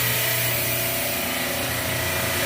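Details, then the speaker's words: Refrigeration rack with multiple cases warm, compressors tripping off on overload, suction pressure 63. A loud, steady hiss with rattling chatter over the compressor drone stops when the circuit is shut: stuck-open hot gas solenoid valve. "look at that that noise went away i don't know if you heard that but this high gas cylinder is stickin"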